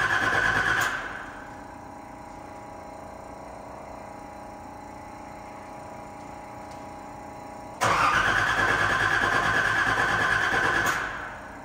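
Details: Nissan 300ZX Z31 after fuel pump, new battery and clutch master/slave cylinder replacement: starter cranks at roughly three turns a second with a steady whir but the engine never catches; cranks without starting, cause unknown.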